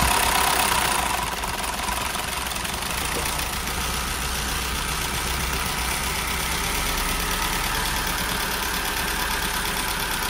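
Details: VW Golf 1.4 TSI petrol after timing chain replacement and top-end rebuild following a snapped tensioner and bent valves: steady tick-over with light valvetrain patter, no knock or rattle; healthy idle, no fault codes.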